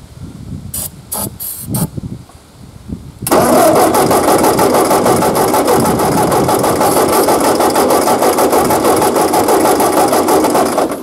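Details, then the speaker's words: Ford 8N tractor that sat 7 years in a field with intake and exhaust manifolds open, after fitting a used coil and spraying starting fluid: steady cranking at about three turns a second with no firing; cranks but won't start. "well still nothing guess let me check for spark and we'll start there again"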